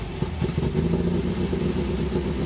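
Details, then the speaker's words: MGB that had been running very poorly, after the carburetor was tuned and a new fuel filter and fuel line fitted: a steady low rumble with no ticking from the top end, normal valve train noise. "Oh yeah, there's like no more valve noise, which is awesome. Sounds so much better."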